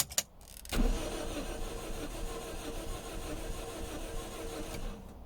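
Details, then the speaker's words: Toyota 2ZZ engine in a donor Celica with a six-speed gearbox: the starter spins it fast and light with an even churn for several seconds and it never catches; it sounds wrong, and low compression is suspected. "that doesn't sound good does not sound good so it seems to be turning over very quickly doesn't quite sound right"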